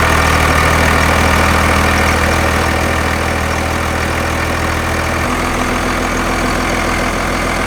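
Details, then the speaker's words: Second-gen Cummins diesel truck after replacing the belt tensioner, found to be the cause of the belt problem; AC compressor kept, old tensioner's bearing felt slightly rough. Firm, steady idle settling evenly, no belt slap, chirp or squeal: normal belt drive. "so all right so i think we have our belt issue solved so it was the tensioner causing our problem"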